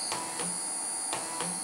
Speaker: le sifflement qu'on entend c'est normal c'est le courage